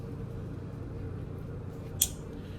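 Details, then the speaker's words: Whirlpool French door refrigerator not cooling, 59°F fresh food and 53°F freezer, fans running: single sharp click over low hum but compressor never starts; bad compressor start device. "compressors not running and you will hear an audible click here in a second"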